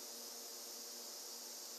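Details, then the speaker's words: M38A1 Jeep engine during a cylinder leak-down test, number four cylinder at top dead center holding 75 psi (25% leakdown), heard at the tailpipe: a steady soft hiss showing the exhaust valve leaking a bit. "i can also go back to the tailpipe and listen there if i hear it out of the tailpipe that means it's an exhaust valve leaking so i'm back at the tailpipe and yes the exhaust valve is leaking a bit on this cylinder"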